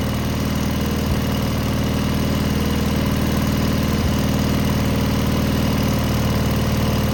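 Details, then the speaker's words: Cub Cadet garden tractor with Kohler KT17 twin, started after muffler replacement to cure a rattle from a loose muffler end cap; steady low idle with faintly uneven pulse, much quieter; owner unsure engine is good, carburetor not checked for dirt. "I'm not sure if this motor's good or not. Uh I didn't quite like the way it ran, but it is much quieter."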